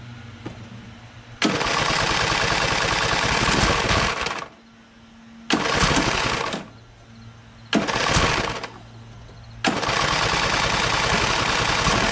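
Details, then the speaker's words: Craftsman LT1000 hydro lawn tractor, second rebuilt engine, choke on, after fitting new EverStart U1-R 230CCA battery: small single-cylinder engine catches and revs in several bursts, then runs steadily with no knock or misfire; no-start was just a weak battery. "How about that, huh? Started after that. So it was just a battery."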